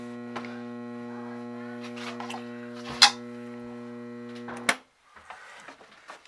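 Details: Kustom Sienna 35 guitar amp with a loud, steady mains buzz-hum that stops abruptly; it had been blowing fuses, caused by a blown power supply filter capacitor and blown diodes.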